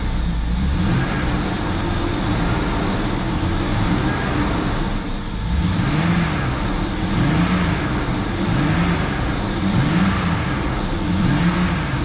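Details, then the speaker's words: 2004 BMW 325xi with replacement engine (original blew head gasket), run after sitting a couple years and coolant refill, cold sunny day: steady idle, gentle hum rise and fall, no knocking; runs well. "now let's start it up and see what happens now that it's got coolant we can let it run a little bit"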